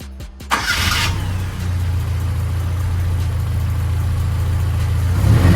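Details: Toyota 4K engine after tune-up and valve clearance adjustment that cured ticking from the head, carb also retuned: brief crank then steady, even idle with no ticking from the head; normal idle.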